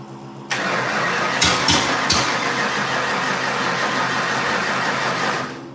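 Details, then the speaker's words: 1989 Mustang 351W with remade fuel line: long crank catches into a rough, uneven sputter that never settles as the distributor is rotated. One helper says more timing is needed; another suspects plug wires in the wrong firing order. "trying as you're doing that your dad's rotating it sounds almost like a firing order issue"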